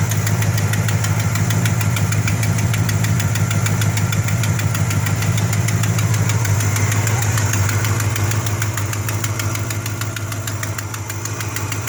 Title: Exhaust Leak